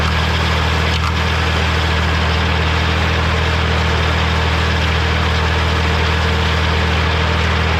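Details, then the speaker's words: Morra F25-6 disc mower on tractor, test run after repair: steady, even drone from tractor and spinning discs, no knocks or metal contact; healthy, occasional slight touching possibly the shield. "Well, I say that was a success. Didn't have no commotion, nothing hitting each other."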